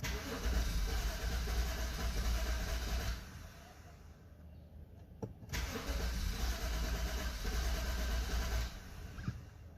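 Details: 2012 BMW 528i (F10), cold morning start: starter cranks on and on, engine catching and dying before a second long crank, starting only after multiple attempts; hard cold start fixed by replacing faulty eccentric shaft sensor.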